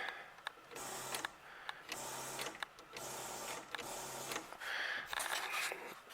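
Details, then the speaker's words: 1938 Buick Special straight-eight that runs but will not crank and must be pull-started: pressing the starter gives only repeated short low buzzes with no turnover; the starter does not engage. "Now, the main complaint is they have to pull start it. The starter does not engage, and here's what you get."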